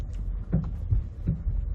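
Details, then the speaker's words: Ford, driving and turning into a parking lot on smooth road: loud, dull metal-on-metal clunks up front, seemingly passenger side, mostly while turning; worn or loose stabilizer bar end link, no steering rack needed. "once you go into situations like this returning into a parking lot or something like that and you're turning you might hear a noise like this w so it's that kind of noise where it's a loud clunky noise up front sounds like metal on metal"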